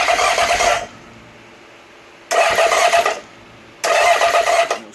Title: Bike won't start